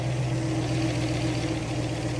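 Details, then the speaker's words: 1972 Ford Maverick V8 warm, idling at roadside with electric radiator fan running, even low burble and fan whoosh; normal idle, fan cooling it back down after repairs. "Well, I just pulled over to the side of the road to set up some stuff and let it idle for a while, and it's getting warm."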